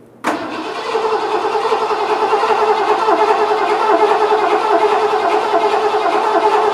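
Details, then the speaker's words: 1986 Ford F-150 after a carburetor change, cranked without firing to get fuel up and check pressure: the starter churns at a steady, even pace for several seconds. Normal cranking. "I just want to get fuel up in it for starters and make sure we got pressure so I'm just going to crank it over a little bit"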